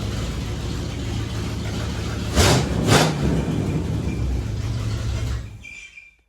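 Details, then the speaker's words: Chevrolet Blazer V8 with new loud mufflers and a leaky exhaust, idle lowered, plugs and distributor untouched: deep, even rumble with two throttle blips, no ticking from the manifold; running healthy. "This thing is running so much better than it deserves to. I haven't I haven't changed the spark plugs. I don't think I have done anything to the distributor and it just runs."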